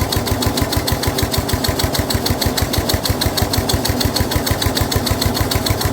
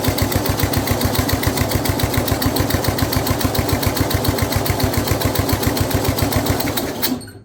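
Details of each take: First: Snapper rear engine rider, Briggs 12 HP single-cylinder, abandoned for years, new carburetor: steady, slightly uneven thumping with dull drag as mower blade turns when it shouldn't, loading the engine; this load also made starting hard. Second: Older Snapper rear-engine rider mower with Briggs 12 HP IC engine, abandoned for years, runs at fast idle with throttle held by hand, no choke hooked up, blade engaged; a steady, even single-cylinder putter with no knocks or misses, quiet despite a rough old muffler; normal running.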